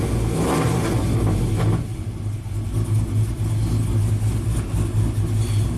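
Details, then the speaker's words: Tuned 2000 GMC Sierra 5.3L V8 with cam and exhaust, warmed up, setting P0336 crank sensor performance despite a new OEM sensor: a lumpy, misfiring beat that stumbles and won't rev freely; cause unconfirmed. "so this thing won't rev above before I wouldn't rev above two and a half thousand"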